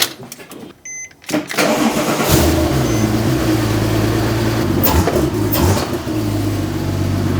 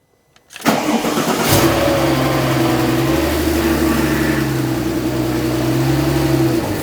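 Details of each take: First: Porsche 911 Turbo rebuild (600HP) after fitting full exhaust, O2 sensors and fixing power steering leak: brief dash chime, short crank, engine catches and settles to a steady, even idle; runs well, still needs more intake piping, no fluid leaking underneath. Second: Rebuilt crashed 600HP Porsche 911 Turbo flat-six after fitting exhaust, O2 sensors and intake piping: rough idle with steady power steering pump whine, probably completely out of fluid. No leak seen; reservoir was later found empty and refilled.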